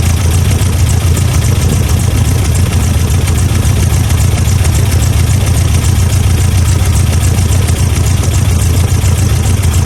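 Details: 1987 Toyota Pickup 22R four-cylinder, carbureted, at steady, even low idle after plug check and timing adjustment (distributor vacuum removed), following fuel pump and carb gasket replacement fixing vacuum leaks; running on all four cylinders, timing correct, idle set nearly perfect.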